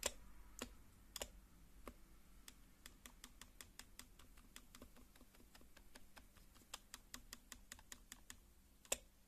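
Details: HHKB keyboard spacebar: uneven typing clicks with louder hollow spacebar strikes that buzz slightly; dry metal stabilizer wire rattling against plastic, fixed by lubing contact points and sliders with Krytox GPL 205g0.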